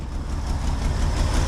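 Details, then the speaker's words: 1968 GMC C1500 pickup, unlicensed since 1997, first start on a makeshift fuel tank feeding the pump: smooth, low, even idle with no misses or knocks. Not yet running perfectly and still warming up. "there you have it guys she fired she's running she ain't running perfect but we'll let her run for a little bit let her kind of get warmed up just a little"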